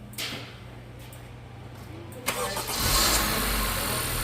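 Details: 2015-2017 Honda Accord 2.4L after starter replacement with a Bosch SR1355X for taking multiple tries to start: brief crank, engine fires at once and settles into an even idle; normal crank and start.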